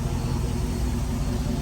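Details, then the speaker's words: 2008 Dodge Charger R/T V8 idling after exhaust pipe reinstalled with new gasket and sealant for wideband O2 sensor install; deep steady rumble, no ticking or puffing at joints; no exhaust leak, sounds good. "Alright, so I got the exhaust pipe back on there, so I'm gonna start it up and see if it works. Sounds good right now."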